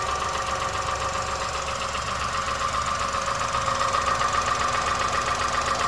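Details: 2001 Honda Insight at 67k miles, valves already adjusted: light steady tapping about two and a half per second at idle, not worsening, disappears while driving; cause unclear.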